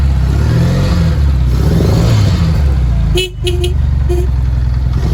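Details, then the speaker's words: 1982 Honda GL1100 Goldwing, first run after long storage: deep, steady idle holding even on its own, with a short toot in the middle; idling normally, fuel pump thought to be working. "it runs look at that it's even idling I think the fuel pump is just working on it"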